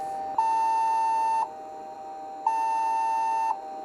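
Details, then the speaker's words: Toshiba T5100 laptop with a known dead hard drive, microphone right beside it: two long steady beeps about a second apart and no boot, possibly looking for a system disk it lacks. "It's making a noise, which you can probably hear right next to my microphone. Is it going to go ping, ping, ping?"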